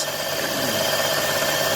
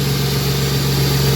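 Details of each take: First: Vehicle at a salvage auction, plastic intake, full of coolant: light uneven rattle over a steady idle hum; possibly a small plastic piece dropped into the intake, a common issue on these. Cause unconfirmed. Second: Ford Mustang 40th Edition with a brand-new alternator: even, steady idle with a smooth low burble and no stumble, skip or misfire. Normal idle.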